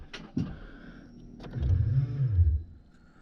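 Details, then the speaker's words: Cammed truck sitting all winter, boosted with about 14 V after low battery voltage, no exhaust fitted: a single clunk, then a low strained groan with no cranking rhythm. The starter motor is seized and not turning the engine. "What the [ __ ] was that noise? What the actual [ __ ] I don't think it likes to 14 volts, not going to lie. Oh, the starter is locked up."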